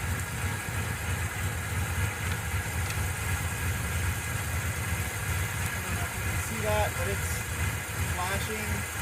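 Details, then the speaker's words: 1990 Mitsubishi Montero, plugs fouled again and blowing rich black smoke: rough, loping, stumbling idle with cylinders seeming to drop out; running horribly, spark inconsistent on some plugs, getting too much fuel; misfire at idle, cause unresolved. "You see it's running but horrible."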